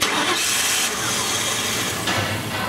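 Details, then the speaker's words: 1999 Ford Crown Victoria 4.6 V8, towed in: cranks and catches briefly without throttle, then stalls and will not idle; runs only with foot on the gas, idle air control valve suspected. "it was actually towed in the vehicle runs but will only run with your foot on the gas pedal"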